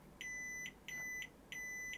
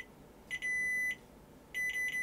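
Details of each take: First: Sony Super Beta SL-HF600 Betamax (711B2 deck), cassette-in switch rechecked with continuity meter after cleaning contacts: three even beeps, no dropouts or crackle; switch contacts closing cleanly. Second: Sony Betamax Super Beta SL-HF600 (711B2 deck): continuity tester beep on the cassette-down switch drops out in short broken bursts instead of holding steady; dirty switch contacts need cleaning.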